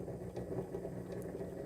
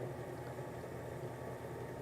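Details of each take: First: Sewing machine motor on a Sailrite Worker B 100-230V power pack, run from an EcoFlow self-contained 110V battery power system. The motor hum surges unevenly with clear hesitation; the power supply is not delivering steady power. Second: Sewing machine servo motor on a Sailrite Worker B 100-230V power pack, run from an old, roughly 500-watt modified sine wave inverter. A steady hum with a faint electrical buzz, no surging; it still picks up when resistance is applied to the flywheel; normal running.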